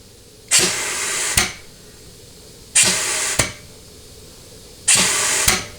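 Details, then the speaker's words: Ford C6 transmission, bench case air check at about 100 psi during an overhaul, low-reverse clutch: three air blasts, each a hiss ending in a sharp pop on release. The clutch applies and seals very well; normal. "okay that's actually Governor is low reverse all right hear that so that clutch is very very very very very healthy I mean it is sealing super well"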